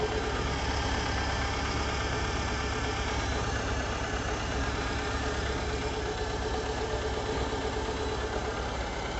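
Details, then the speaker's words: VW 1.6 (Fox/Gol/Voyage) after new pistons for a valve-tapping-like noise; steady, even idle hum with no tapping or knocking — normal idle after repair. "E aí o barulho normal dele depois que fez no processo de troca dos pistões o susto que tava ruim lá do cabeçote"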